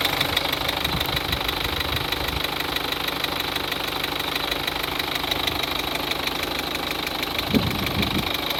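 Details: 2003 Peugeot 206 1.4 HDi 70hp diesel at idle: rapid regular tic-tic-tic about three per second over the clatter, revs fine; confirmed leaking injector seals, noise gone and engine quieter after replacing them.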